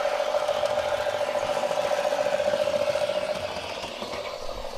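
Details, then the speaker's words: MTH Galloping Goose Proto 1 model locomotive that would not move, after repair and reassembly, running forward on track: steady, even mid-pitched motor hum with light track rattle, easing slightly as it rolls; runs smoothly, normal. "That is awesome! It is working good."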